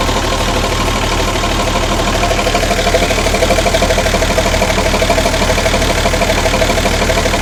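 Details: Ex-Australian Army International ACCO 6x6 truck refitted with a Perkins 6354 diesel, just started after bleeding air from the fuel lines with the priming bulb: steady, even idle at about three beats a second, no knocks or misses; normal idle.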